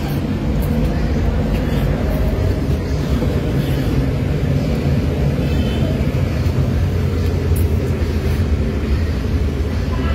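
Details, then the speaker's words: Suzuki K6A engine, no trouble codes, after replacing the control board: steady low idle rumble with an uneven shaky undertone, no misfire pops; engine still shaking, cause undetected by scanner, ECU replacement and vacuum leak check planned. "Ang problema eh nanginginig pa rin yung makina. So ibig sabihin may problema pa rin yung kanyang system."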